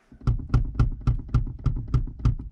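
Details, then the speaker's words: Honda Civic EK3 passenger seat runner missing a spacer: sharp, evenly spaced knocks about four per second as the seat is rocked, the runner striking the outer rail, a common fault on these seats. "that spacer is missing, it knocks on the rail on the outside of the car. It's quite common for these seats actually."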